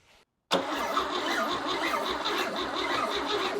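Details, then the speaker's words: Chevy 235 inline-six from a 1961 Apache pickup, sold as recently rebuilt: steady fast cranking with no firing; timing and ignition checked correct, suspected fuel delivery problem. "So, it seems to be firing correctly. So, I think we have a fuel delivery problem."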